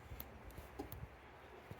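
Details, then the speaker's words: Hot tub showing "HDR flow fail" heater error: faint relay clicks in near silence with no pump hum, pump not starting; suspected blown fuse in the spa pack underneath, later confirmed as a burnt-out fuse. "so I can hear it just clicking so it pump's not even on so we're going to have to get to the the spa pack underneath might be just a blown fuse so I can hear the clicking so the that's the relay"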